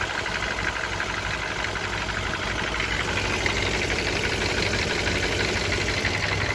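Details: 1994 BMW E34 with M50B20 engine, VANOS and automatic gearbox at idle: fast, fairly even tapping about three per second, owner says not lifters; chains and tensioner guides renewed, no oil use, noise unchanged for several years, cause unknown.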